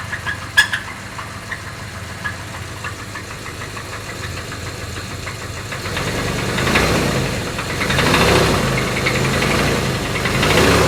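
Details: Jeep Grand Cherokee engine: steady idle with a regular knock about three times a second, growing louder as revs rise; engine knock, cause not identified.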